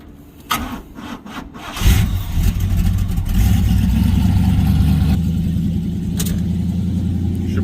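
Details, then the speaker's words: Box Chevy with 305 small-block V8, after starter replacement for crunching and growling noise; battery sounds a little weak, short crank then quick catch into steady even idle. Normal start. "it start right up I mean the battery sound a little dead so we're going to let it uh start and charge a little bit"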